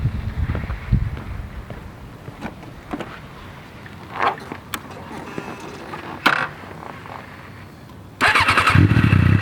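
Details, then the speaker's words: Suzuki GSX-R 600 with stock exhaust, running again after a week of diagnosis and repairs: a couple of throttle blips, then a higher steady rev with crisp, even pickup and no misfires. The engine sounds healthy revving. "Maybe we'll do a few revs right now so you guys can kind of hear what it sounds like. Let's do that. I want to set you guys over here. So this is a stock gsxr kind of exhaust here."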